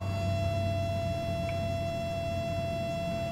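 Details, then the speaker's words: Home heat-recovery ventilation system at high airflow: steady clear whistle over low airflow rumble near an uninsulated exhaust riser, caused by an over-bent, crushed duct at the top. "Jest to wywołane tym, że rura na górze znowu jest "prze gwałcona""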